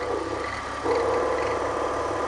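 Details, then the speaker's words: BMW E46, belt squeak diagnosis at idle, listening close-up on the alternator pulley; smooth steady whir with light even tone, no squeal or roughness; alternator bearing is fine. "it is not the alternator that's actually fine"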